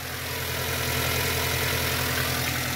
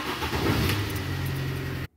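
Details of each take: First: Mini with an intermittent hard cold start, just restarted after a fuel-pressure test reading 50 PSI: steady, even idle with a smooth low hum; briefly blipped, sounds stable. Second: Mini petrol engine with a recurring hard cold start: brief uneven cranking bursts, then catches into a steady low hum before cutting off; starter removed and inspected, seemed fine; cause still unknown.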